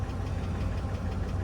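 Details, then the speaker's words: Light, even knock at firing rhythm under a steady 5.3 V8 idle while warming up, almost like piston slap but not certain; some clatter, no check engine lights; engine known to burn oil at higher miles, oil suspected low. "knock there, and not a. I don't even want to call it a knock. It's almost like piston slap or something, but."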